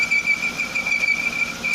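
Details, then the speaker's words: 1995 Jaguar X300 4.0-litre six-cylinder, cold engine at idle: high, steady, slightly wavering squeal; accessory (alternator) belt not tight enough and slipping on its pulleys, already a little quieter than at the start. "c'est souvent que c'est la courroie d'accessoires qui fait des siennes parce qu'elle est pas en général assez tendu"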